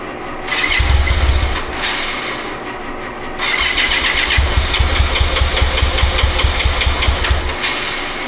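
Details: 1995 BMW K75RT that sat 8–9 years, after replacing radiator fan and coolant temp sensor: cranks, catches and dies, then restarts into an uneven, stumbling, lumpy idle and won't take throttle; misfiring, fuel not reaching all injectors.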